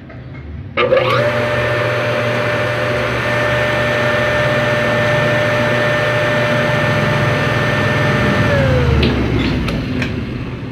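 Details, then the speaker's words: Water pump that only hummed and seized on start, after replacing bearings and mechanical seal: spins up to smooth steady hum, even tone, no grinding or rattle, coasts down cleanly; healthy running. "entonces vamos a a cambiar baleros sello mecánico y veamos qué ocurre listo ya cambiamos valero si vamos a conectarla"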